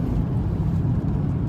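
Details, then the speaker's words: 1998 BMW 540i V8 after motor repair and short shift lever install, recorded in the cabin while driving: low smooth engine hum under road rumble, quiet even when revved high, muffled exhaust; engine runs smooth. "All right, we are driving the 540i with the new shorter shift stick, repaired motor, and the engine is smooth. As you can hear, it's very quiet in this interior."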